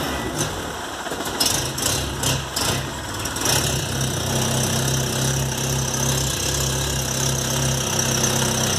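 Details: VW Golf Mk3 with single-point injection: idle hunts and stumbles unevenly with irregular dips instead of a steady rhythm; faulty idle air control actuator, fixed.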